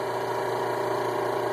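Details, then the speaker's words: Hot tub recirculating pump motor, tub displaying "dry" and waterfall not working: steady hum with a rough gritty edge; front bearing bad, bearings almost shot, impeller cracked and fused to a rusty shaft, pump replaced; worn motor bearings. "but the reason it was humming is because the bearings are almost shot in this"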